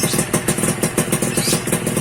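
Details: Suzuki Satria 2-stroke (Lumba) idling after its failed on/off button in the right handlebar switch was bypassed, with the CDI, stator and regulator found good: a quick, crisp, steady popping beat with no misses; normal idle.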